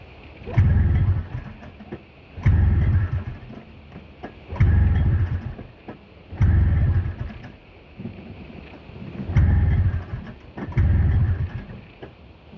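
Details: Snowmobile in a warm garage after sitting overnight, attempt two, with some corrosion in the carb; six pull-starts about two seconds apart, each catching with a short low burst then dying, so it won't keep running, cause unknown.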